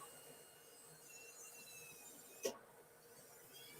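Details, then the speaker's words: New FLSUN SR delta 3D printer: steady, thin, high-pitched whine from the hotend fan, with one brief tap. The fan is not loose, just loud, and may need replacing. "it's a little loud it's a high pitch noise from that hot end fan"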